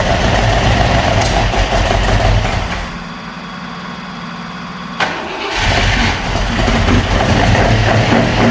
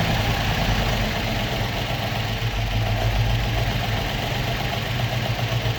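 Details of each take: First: Opel Manta hatchback with Ascona front, unrun about 20 years, on old plugs, first start: catches, dips and stumbles, then an uneven, lumpy, missing idle; idle to be raised and points checked. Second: Opel Manta with Ascona front, first start after about 20 years stored, still on old plugs and points: ticks over on its own at a steady, even idle with a low rumble and no misses; normal idle.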